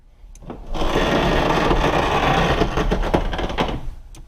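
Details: Driver or passenger window on a 2004 Porsche Boxster 986 base with 2.7 L: scratchy, gritty grinding over the full three-second travel; the regulator cables have jumped their track and rub together, not a failed regulator.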